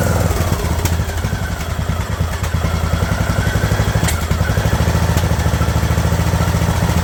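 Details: Craftsman LT2000 riding mower engine at a slow idle after the throttle linkage was straightened: even, steady puttering beat with some clatter, running smoothly at the lower speed; normal idle.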